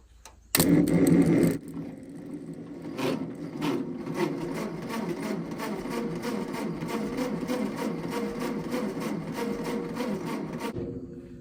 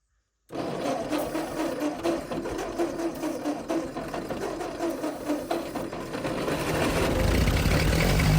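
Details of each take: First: Ford 8N tractor, which the seller couldn't get to fire (he said the points needed setting; distributor gasket found fallen off), cranking: steady rhythmic churn about eight seconds, never fires; cause not yet confirmed. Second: Ford 8N tractor, first start, carburetor primed with cleaner. Fires and settles into steady, even chug about two beats per second, revs smoothly, little smoke: normal running.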